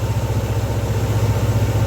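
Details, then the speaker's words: Yamaha NMAX scooter after replacing damaged and broken parts behind heavy white smoke, reassembled. Smooth, even low pulsing at steady idle with no knocks or misses; residual oil in the exhaust expected to smoke white when throttle is opened: normal idle. "Jadi untuk sekarang bisa dikatakan aman ya, kecuali nanti kalau kita open gas karena masih ada sisa oli di knalpot, pasti ada oli ngebul atau asap putih yang ada di knalpot,"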